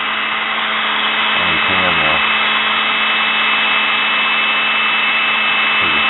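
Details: Sewing machine motor running smoothly with an even mid-pitched whir, no rattle or surging, after its brushes were cleaned and refitted; the brushes seated better with running and sparked less, a small amount of sparking being normal.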